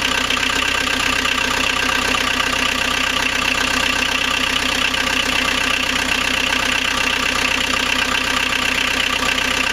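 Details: First start of rebuilt 1.9L AAZ turbodiesel swapped into 1986 VW Vanagon Syncro, after bleeding injectors and powering glow plugs with cold-start cable pulled: even diesel clatter at settled idle, no misses or knocks; running healthy.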